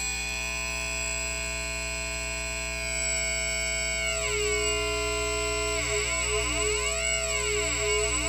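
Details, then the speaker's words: 1980 (possibly 1970s) MXR Flanger MX-117, previously repaired and now failing again: steady tone, then the flange sweep cuts in unevenly. The fault seems tied to the manual knob. Intermittent flanger sweep fault, cause unconfirmed. "okay oh I wish I knew what I had done there it goes again"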